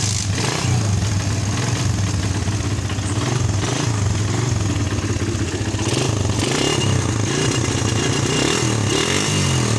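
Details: Suzuki Satria FU after the fault was repaired without new parts, started with the battery disconnected except ground: steady, even beat with light revving, no misses or stumbles; normal running.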